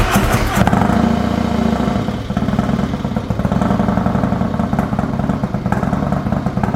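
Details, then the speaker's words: 2020 Harley-Davidson Road Glide Special, Milwaukee 8 with new S&S 475C chain-drive cam kit and D&D Billet Cat 2-into-1 exhaust, first cold start after install: cranks, catches at once, settles into loping uneven V-twin idle, no ticking or clatter; normal cold start. "Now we're gonna get ready to start it up. First cold start with the new 475 cam from S&S."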